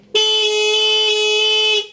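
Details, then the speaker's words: Carbureted Honda Beat scooter whose starter only clicks, horn test with a turn signal on. A single loud, clear, steady blast shows the horn and battery are fine; the fault was worn starter brushes. "Apabila suara klaksonnya masih nyaring dan ini seperti ini teman."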